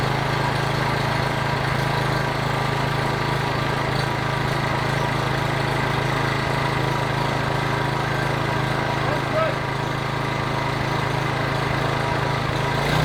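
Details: PowerBoss 5500 W generator, Briggs & Stratton 9.5 hp OHV, rebuilt from parts, carburetor primed, plug cleaned and gapped 0.030 in: steady even single-cylinder drone, no misses; running cleanly until out of gas.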